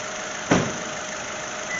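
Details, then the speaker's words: 2022 Honda Civic 2.0-liter four-cylinder just started after an oil change, filling the oil filter: even, quiet idle with a light steady hum and one brief knock near the start; smooth and healthy. "sounds like all four squirrels are running perfectly so we'll let it run for a second"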